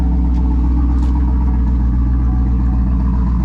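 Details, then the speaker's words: 2009 Chevy Tahoe V8, rebuilt about 9 months earlier, stage two truck cam, after fixing low oil pressure and smoke issues: deep steady rumble settling to even idle after a cold start, no knocks or ticks, healthy. "this is also uh TR stage two Truck cam doesn't sound much different but we'll let it warm up then we'll bring it back"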